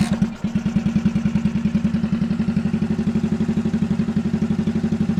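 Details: 1964 Honda Super Cub CA102 after a full top-end rebuild, kick-started with good compression; a crisp, even single-cylinder putter that picks up cleanly on throttle blips and settles back. It runs well and no longer smokes heavily.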